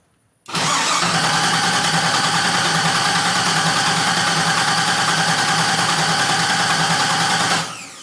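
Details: 1977 Camaro Z28 on its first start attempt, in neutral: the starter spins the engine at a steady rhythm for about seven seconds with no firing or catch; crank, no start.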